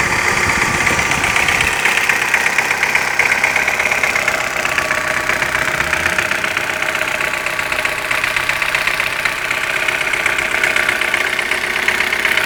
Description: после замены гидрокомпенсаторов стало постукивать.на холодную не стучит.